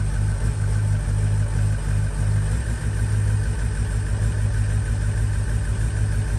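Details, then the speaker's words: Ford Powerstroke diesel F-250 pickup with no codes; injector 8 gave no click, possible FICM issue. Power balance at idle: deep, lumpy idle with uneven beat as cylinder 8 is completely dead; compression and blow-by still to be checked. "Oh, sweet Jesus. All right. Yeah, so cylinder 8 is just completely gone."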